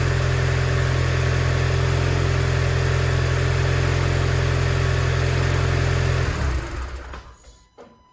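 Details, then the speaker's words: Car just after intake valve and mass airflow sensor cleaning with CRC cleaners: steady, even low idle with no misses or knocks for about six seconds, then a clean shutdown; pretty good running. "All right, I would consider that pretty good running."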